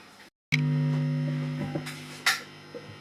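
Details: Fender Bassman 5F6-A tube amp with temperature-dependent crackling/sparks traced to one power tube, after replacing the power tubes: steady low mains hum with no crackling or popping left; healthy.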